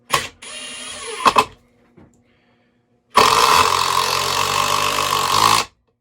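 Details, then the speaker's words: Metabo HPT 36V triple-hammer impact driver, compared against a Makita XGT 40V: steady rapid hammering rattle for about two and a half seconds while driving a screw; impacts sound normal, with a different vibration feel and possibly slightly quieter operation. "The vibration's different. It actually, I think, is slightly quieter."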